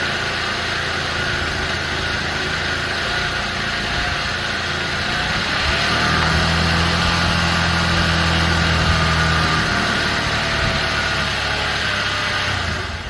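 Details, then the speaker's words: 2003 Honda Elite 80 (CH80) scooter that sat 15 years, airbox off, manually choked: a buzzing, hunting idle that smooths and picks up while carb cleaner is sprayed, then sags back; suspected intake air leak. "we definitely have a leak right here pretty bad let's uh try to fix that first"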